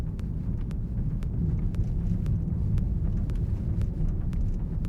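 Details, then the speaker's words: 2020 BMW 740Li xDrive with about 3,000 km, driving slowly under 30-40 km/h with suspension raised: faint sharp ticks roughly twice a second over road rumble as the door trim rubs the sheet metal under body twist; door trim creak. "3,000km 정도 된 차량인데 그 도어 트림하고 철판의 마찰 부분에서 꾹꾹꾹꾹꾹 이런 소리가 조금 들려옵니다."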